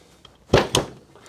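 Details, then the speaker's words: Dupree 3" pneumatic power gate valve being assembled, greased valve body pressed in inlet side first: two crisp clicks about a fifth of a second apart as the middle O-ring seats in the top of the valve. "The double click is actually when the O-ring that's in the middle there seats in the top of the valve."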